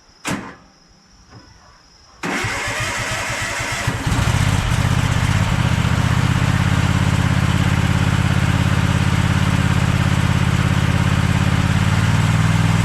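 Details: Craftsman push lawn mower after repair of the flywheel brake/magneto kill bail assembly with a part about an inch longer: starts on choke in two seconds and settles into a steady, even run without surging.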